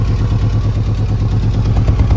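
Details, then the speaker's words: Ford Fiesta 1.6 with codes P0301 and P0303, heard at the tailpipe: lumpy, uneven puffing that feels like a helicopter against a hand, with explosions, unstable running and poor acceleration. It is a cylinder misfire from a failed ignition coil output terminal. "Look there, there you can hear that it is not accelerating well. You notice explosions and the unstable engine."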